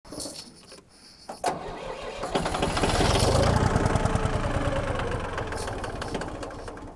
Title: Tractor won't start